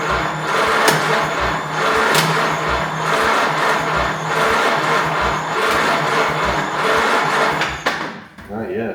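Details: Pre-war jalopy gow job with Ford Model A engine, start attempt from dash push button after overnight battery charge, gas dripping from carb: steady rhythmic churn about four beats a second, never fires; cranks but won't catch.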